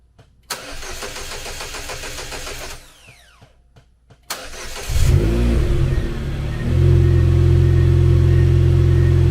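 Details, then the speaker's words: Chevrolet Cobalt SS (LSJ supercharged, just reassembled) intermittent no-start after two days of diagnosis: two cranking bursts with a pause, then fires and settles to steady idle; owner suspected battery, reading 64, but cause still unknown. "and this is just the way it has been the whole time i think i get somewhere and i don't so this is what i've been fighting with for two days straight now"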